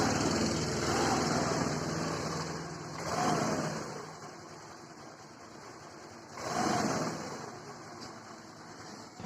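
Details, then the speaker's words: Hero Duet scooter after repair of excessive engine noise, parts refitted: quiet smooth idle rising and falling gently, no knocking or rattle; the previous loud engine clatter is gone. "है तो आप लोगों ने इस की आवाज सुन ले आवाज जरा से भी नहीं इंजन में पहले का यह बहुत ज्यादा आवाज करती थी और बहुत खड़का इंजन में था तो वह सारे हमने बंद कर दिया"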